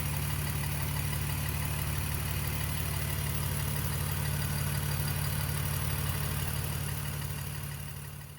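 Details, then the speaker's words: BMW E46 idling after repairing a failed upper radiator hose that dumped coolant; the oil looks clean. Smooth idle with a light, steady tick about three times a second from a noisy hydraulic lifter. "seems to be fine ignore the ticking lifter"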